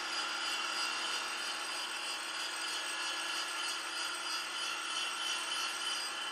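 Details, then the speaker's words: Grinding a small diameter sticking out 1.8 inches without stabilization, using a free-cutting 100-grit Radiac wheel, one thousandth total per pass with faster traverse: even, steady hiss with no chatter, squeal or harmonics at the end of the cut; smooth grinding. "and this is real nice because this not happy you can't even hear any of the harmonics when you get to the end"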